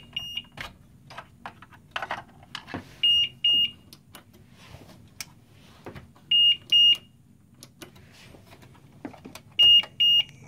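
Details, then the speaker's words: GTX 760 graphics card on a bench PC with one PCIe power cable connected: shrill double beeps about every three seconds over clicks as the power supply trips short-circuit protection; the card has a short on its PCB. "I plug in 1 and switch on again ok I think we have a short on this one"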